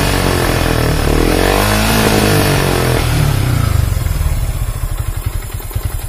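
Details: Yamaha Vixion New motorcycle with a weak battery causing stalling: revs hold briefly, then break into uneven stuttering pulses as if about to stall; rough running traced to the weak battery.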